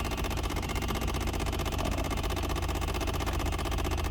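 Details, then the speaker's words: 2008 Chevrolet Impala just started and idling: a light, fast ticking of about three per second from behind the dash. The blend door actuator is clicking, and the owner says it goes away after a while. "I forget how to make that noise go away, that Blendor. It's gonna go away after a while though."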